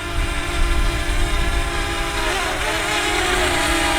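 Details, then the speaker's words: DJI Mavic Mini hovering after the fix for unstable flight and uncommanded descent (motors, rear suspected, had screamed the day before): steady motor whine at even pitch over wind rumble, small corrections; stable and healthy. "And you know, there it's good and steady. So let's wiggle back and forth here a little bit."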